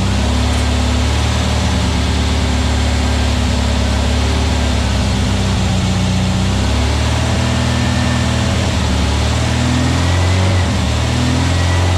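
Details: New VW Beetle 1679cc single-port flat-four, Scat C25 cam, dual Empi ICT carbs, first fire-up during 20-minute cam break-in: loud even low rumble holding steady, no knocks or misses; timing spot on, no leaks, carbs need tuning; normal running.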